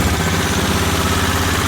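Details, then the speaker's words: Aprilia Pegaso Cube single on its second start attempt after new carb inlet rubbers and ultrasonic-cleaned carbs: even, steady thump at fast choke idle with no misses or rattles; it runs as it should. "certainly sounds okay to me um B are getting hot are getting hot so it sounds pretty good sounds like it runs as it should I'm quite happy with that"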